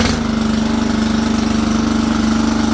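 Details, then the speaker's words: Toro 20383 Super Recycler mower, Toro-branded Loncin engine with auto choke, first pull after a twig jamming the choke flap open was found and the airbox refitted, fresh gas added. Starts instantly and runs with fast, even pulsing and a steady drone, no misses. "yeah she sounds great that was like it started before I even had pulled this"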